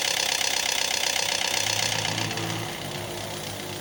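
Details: Toyota Vios 2NZ-FE VVT-i engine, cold start: fast bright rattle about four beats a second that fades after two seconds, suspected VVT cam gear/phaser, not confirmed.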